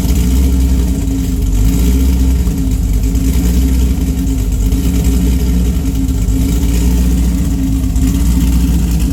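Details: Engine with Pat G-spec cam (222/226, .629/.629 lift, 112+3), Solo cat-back with mid muffler and J-pipes, and Manzo headers: rough, uneven exhaust pulses at idle and through revs, beats dropping out; a bad misfire, cause not found.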